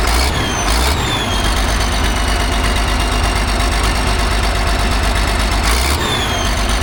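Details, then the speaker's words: Allis Chalmers 645B loader diesel after freeing the sticking injection pump plunger: steady, even idle with firm low beat, no misses, brief air hiss; runs well, fires right back up. "Sweet. Sounds like it runs pretty good."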